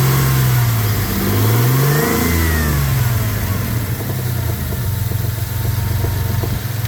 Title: 2000 Dakota 3.9 engine knock anybody have ideas?(2)